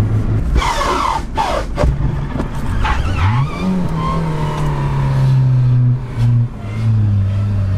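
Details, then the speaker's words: Manual car shifted into reverse at about 70 km/h with the clutch released at once: tyre chirp, a rough falling engine note, then a strained drone as the engine stalls; it smelled of gasoline, possibly turned backwards, and wouldn't restart. "I smell gasoline I think the engine was turning backwards I thought it would be impossible to switch into reverse with such a speed But it can be done"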